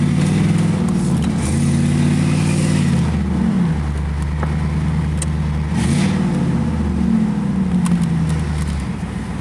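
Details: 1986 Chevrolet Camaro IROC-Z after welding the exhaust pipe broken at the Y-pipe fork: deep, clean exhaust note rising and falling with each blip, no ticking or puffing; exhaust leak-free, sounds way better, healthy exhaust note.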